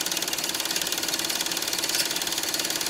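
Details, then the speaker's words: Bell & Howell Filmosonic Super 8 twin-track sound projector, almost 40 years old, made in Japan, film winding onto take-up reel after automatic threading; quick, even mechanical chatter with light whirr; normal, healthy running. "and winding up on the Reel and there it is running on the Reel that is a really excellent automatic threading it really is very very good"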